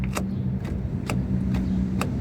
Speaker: alright guys so this is a carrier burying center support bearing on a ML 2004 ml 500 Mercedes and this is a very good example of a very bad bearing